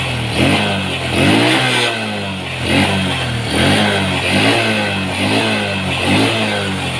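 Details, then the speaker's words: Honda Supra X 125 carburettor single after refitting the detached main jet: idle set with air screw, short throttle blips rise and fall cleanly, then a steady, even idle for efficient, smooth idling; normal idle. "Pengaturan putaran idle agar efisien dan putaran idle halus."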